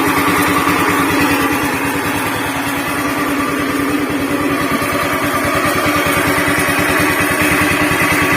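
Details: Honda Beat FI scooter with rough noise from engine centre: coarse, churning helicopter-like rumble under steady idle beat, before CVT removal and repair; worn crankshaft bearing.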